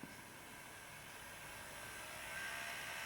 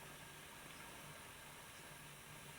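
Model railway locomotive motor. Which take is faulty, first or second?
first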